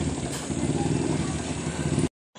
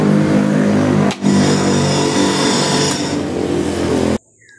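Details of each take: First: White Westinghouse washing machine spin dryer after repair, with the part tightened using a washer and lock washer. It runs with a steady, even whir and low hum, and its earlier noise is gone. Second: Westinghouse washing machine spin dryer: steady motor hum under a loud, rough whirring rattle.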